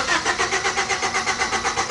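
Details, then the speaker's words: 1997 Honda Civic with an intermittent no-start complaint: the starter cranks the engine in quick even pulses, about six a second, but it never fires. "all right we're in lock at least it doesn't start that's a good thing"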